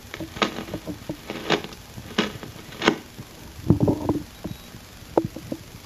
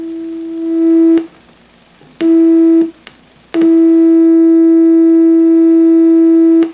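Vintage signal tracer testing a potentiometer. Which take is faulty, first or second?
first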